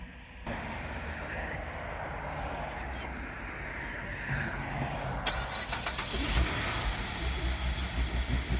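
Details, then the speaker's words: First-generation Chevy Traverse, morning start with resting battery voltage 12.02 V: the starter drags slowly and unevenly for several seconds before the engine catches and settles. It always starts but is sluggish; battery needs replacement. "it always does start. It's just a little sluggish on the startup, so we'll get that new battery in there."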